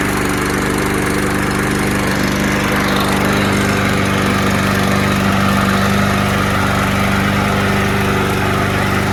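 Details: Curbside-found mower with auto choke, no primer, black oil and gas in the tank, first start: it lopes unevenly and sounds a little rough. Fresh gas later made it smoother and more powerful.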